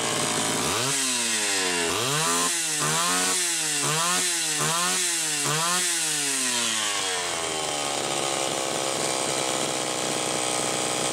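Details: 1985 Homelite Super XL Automatic chainsaw with a reported hot smell: crisp blips climbing quickly and dropping cleanly about once a second, then steady idle; runs fine.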